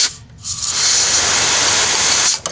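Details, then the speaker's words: Solex carburetor from a VAZ 2121 with heavy fuel consumption, jet blown with about 8 atm air through a sharp cone nozzle: strong steady hiss passing straight through with no sputter; passage is clear. "я слышу 8 атмосфер проходит идеально"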